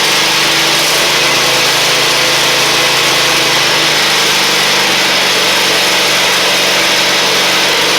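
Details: Husqvarna LGT2654 riding mower after repairs, cranked: loud, steady engine drone, no knocks, misses or surging; engine healthy under load.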